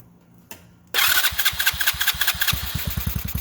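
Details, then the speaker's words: TaoTao GK110 go-kart, 4-cycle engine, first start after replacing dirty carburetor with new one, choke on: catches at once, then quick busy chug of two to three firings a second sitting too high; idle too fast, needs turning down. "It's idling too quick, man. It's idling too fast."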